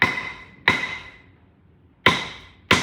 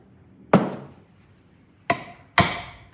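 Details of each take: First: 1962 Buick LeSabre stored outside over 30 years, cylinder head off: four hammer drops on valves each give sharp ringing tap; difference in sound picks out a stuck valve. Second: 1962 Buick LeSabre engine, stored outside for decades, head removed, valve tapped by dropping a tool on it: four sharp metallic taps ringing briefly and cleanly; valve drops and rebounds freely, not stuck.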